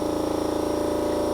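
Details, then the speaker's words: BMW 320i converted to electric with a Siemens motor, at key-on: steady electric motor hum with a fast even pulse and no knocks as the brake vacuum pump runs until vacuum pulls down; normal operation. "So it first starts just like a regular car. Turn the ignition switch, and you can hear the vacuum pump for the vacuum brakes,"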